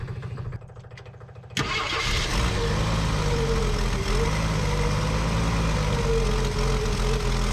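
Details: 1965 Ford F100 farm truck, sitting for about a decade, first start attempt: catches after a short crank and settles into a slightly wavering, lumpy idle that won't hold steady.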